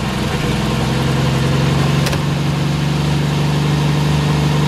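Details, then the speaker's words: Jeep cold start on a snowy morning: fires on the first crank and settles straight into an even, steady low idle with no misses or knocks. Healthy cold start, left to warm up. "holy freaking crap that started just like it was 900° out here that's awesome we'll let that choots away for a minute or two"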